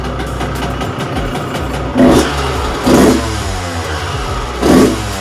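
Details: 2001 Honda CR125 two-stroke on its first start and heat cycle after a top-end rebuild and port job: uneven note with ragged blips about every second, stumbling rather than revving cleanly; plug fouled by oil lubrication in the cylinder and was swapped.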